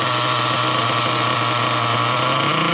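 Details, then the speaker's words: Nitro RC car engine during a pinch test of the low-speed needle: steady high-pitched even buzz with no surging, shutting off after 4 seconds (4-6 is ideal); low-speed needle correctly set, normal running. "Yeah, guys, that was 4 seconds. That is ideal. That's spot on. That's what you want."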